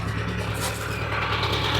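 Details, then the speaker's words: Ferrari 308 at idle after a drive, heard from the rear. A steady rumble with a light, fast tick on top comes from an exhaust manifold leak at the rear head, where the manifold nuts had worked loose; tightening didn't fully cure it. "I've been out for a bit of a drive this morning and I've got some extra ticking sounds which I started to worry about. But now I think it might be a bit of a pop in the exhaust."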